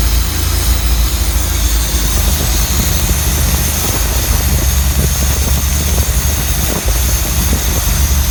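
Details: Slant 6 engine at idle: a steady rumble with a constant, loud airy hiss over it from a sizeable vacuum leak whose location hasn't been found.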